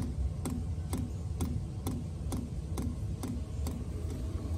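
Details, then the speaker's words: Chinese diesel cab heater in a skoolie bus, during startup, heard from below: crisp evenly spaced ticks about twice a second over a low hum, the dosing fuel pump pulsing normally and speeding up as it calls for more heat. "there's the fuel pump pumping and as it starts calling for heat that'll go faster there you go hear it kicking up starts going faster as it starts calling for more heat"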